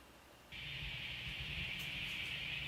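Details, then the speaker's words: ADA MP2 preamp after the R913 repair for hum, with the noise gate off: the loud hum is gone, leaving only a soft steady high hiss. Owner suspects old capacitors cause the hiss. Normal output with faint hiss. "So no more loud humming sound. Just sort of a hiss. They have some more parts coming. That hiss is probably from old capacitors that need to be replaced."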